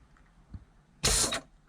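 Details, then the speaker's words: Porsche 928 EV conversion: metal passed by a front wheel-speed Hall sensor makes the system think the car is moving, triggering a short half-second electric hiss-whirr from the brake booster vacuum pump; running normally. "Why did it do that? It thinks the car's moving, so it's trying to make sure that we've got vacuum in the brake booster."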